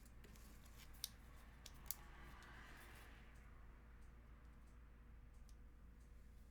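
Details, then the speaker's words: Lubed Tangerine MX-style linear switches in a custom 8X MKII TKL keyboard: bright key clicks with a metallic tick, believed to be the switch leaf. "oh you man see sort of ticking i don't know can you guys hear this so normal switch if i don't trigger the ticking compared to you guys hear that there's like a metallic sound"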